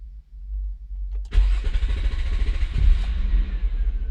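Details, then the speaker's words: 2002 Nissan Maxima 3.5L with code P0335; several seconds of low, uneven cranking before the engine catches and settles, long crank from a crankshaft position sensor circuit fault. "see you see that long crank it took at least you know several seconds for it to start but it did start"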